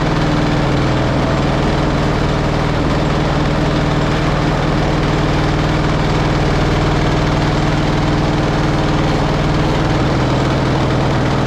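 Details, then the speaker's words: Pony engine of a 1945 Caterpillar D7 3T that sat over 40 years, restarted while the main engine won't turn over: steady idle with rough, uneven knocking under the low hum; glitter in the oil, possible compression loss at the spark plug, owner suspects it locked up. "Maybe maybe that pony engine just locked up. It was knocking pretty good."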